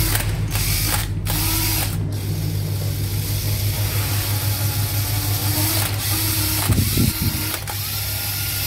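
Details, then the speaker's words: National EZ6101 cordless drill whirring with an intermittent low droning hum and a few clicks. Dry motor bearings; the fix is a few drops of oil at the motor's front and rear ends. "anh em nghe thấy cái tiếng lâu lâu nó có tiếng ù ù đó không? Nó bình này dễ lắm anh em, nhỏ mấy giọt nhớt dưới cái đầu cái đít của một cái hai đầu, một đầu và mục đích của cái motor á là nó hết kêu cái tiếng đó ha."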